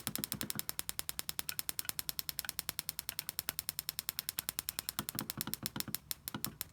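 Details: Coil-on-plug ignition coil on a bench, triggered by a cheap signal generator board: crisp, evenly spaced spark snaps about ten a second, steady and strong with no misses. The coil is healthy.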